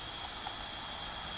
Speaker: so we got one ouch and that is an intake valve